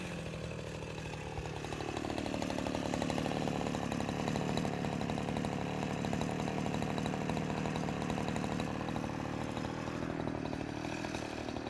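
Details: Husqvarna 353 chainsaw after restoration from a basket case (gas line, chain drive, carburetor tuned), cutting wood: picks up quickly, then holds a strong, steady buzzing pitch through the cut without bogging; runs properly.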